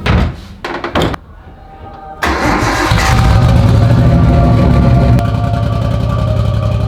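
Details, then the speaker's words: 1998 Nissan Skyline GTT, stock RB25, new Walbro 525 fuel pump, after jump pack; catches after cranking bursts and runs loud with uneven lumpy beat near four pulses a second, running rough; fuel lines leaking, cause unconfirmed. "She ran, yeah, but it doesn't run great."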